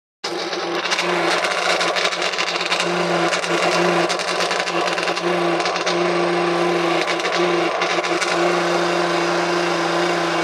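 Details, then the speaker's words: Spin-dryer motor hums steadily with a rough scraping rasp from a worn shaft bushing; suggested fixes are greasing the shaft running from the dryer motor to the drum, or a second, more effective solution. "si el motor del secado se escucha de esta forma, créame que hay dos soluciones. Y la segunda es lo más efectivo. Primero, podemos engrasar el eje que va del motor del secado hacia el vaso, ¿no?"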